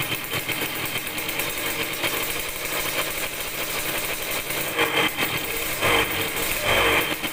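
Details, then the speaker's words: Yamaha DT100 two-stroke after tightening a loose, leaking exhaust-neck nut: the engine blips but each rev rise flattens and won't climb cleanly. Poor throttle response; the owner suspects carburetor air-screw tuning is needed, and retuning later improved it. "รู้สึกว่าเร่งมันไม่ออกเร่งแล้วไม่ออกนะครับเดี๋ยวผมต้องลองจูนอากาศใหม่ก่อนนะครับ"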